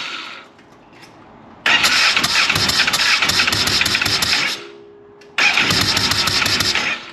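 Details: Polaris RZR 900 fuel-injected twin, start attempt with plugs cleaned and regapped to 0.030 in: cranks, catches and runs ragged with uneven popping before dying, twice; blowing back through the intake, owner suspects a valve not closing, later traced to a broken camshaft.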